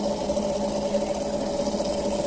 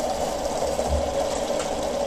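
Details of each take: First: RO water purifier booster pump after fixing its loud running noise: a steady, even mid-pitched hum with a faint higher tone and no rattle or surging; the noise is much reduced and the pump runs smoothly. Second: Home RO water purifier running, opened up: loud buzzing drone with a rattling edge from the booster pump. Pump head not leaking; internal pump-head fault causes the noise, head to be replaced.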